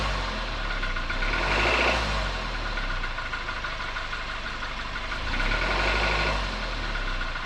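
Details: 2021 Suzuki Jimny Sierra JB74: dry, fast rattle over the engine note during low-rpm acceleration, rising and easing with throttle; began after about 15,000 km and persists when warm; dealer later found the cause and cured it.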